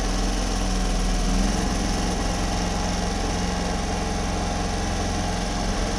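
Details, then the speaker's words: Homelite HG600 small generator after fuel pump clean and new gasket set, started on choke, green light on, full volts, no fuel leaks: steady, even putter at constant speed, quiet, no hunting or misses; running healthy. "running green light on yeah volts all the way up no wall light on no fuel leaks at the moment that's quiet too that's really quiet no hunting"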